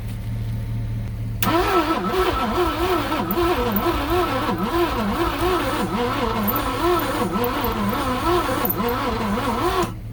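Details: 1967 Ford Thunderbird 428 V8 after 30 years sitting, timing being adjusted: about eight seconds of steady even cranking with no catch; cranks but won't start, one cylinder fired earlier, starter suspected weak, no fuel smell.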